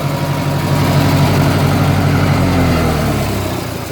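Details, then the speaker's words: Massey Ferguson 202 diesel tractor with newly fitted alternator used as belt tensioner (not charging yet, pulley wrong): steady idle with an even low thump, no belt squeal or chirp; pulley not slipping and stays cool. "It's flying, and it doesn't get hot. So I've been checking it, let it run for a bit, and check the pulley."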